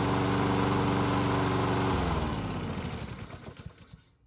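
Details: Lawn mower engine being worked on for surging: even, steady engine beat at constant speed with no hunting, then shut off and coasting down to silence. Normal steady running.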